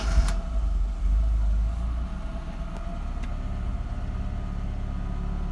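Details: Mercedes 190SL ice-cold after sitting several days; started with choke pulled, electric fuel pump primed, neutral, a couple pedal pumps. Brief crank, then catches and settles into an even idle with no misses. Healthy start.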